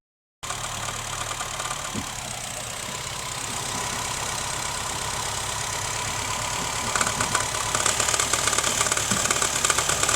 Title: rattling sound from my Honda fit 2011